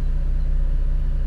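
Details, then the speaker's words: RV generator after new Motorcraft fuel sending unit install: smooth, steady low hum without stumbling or hunting; normal running. "wow started right up first try no foot on the accelerator or anything"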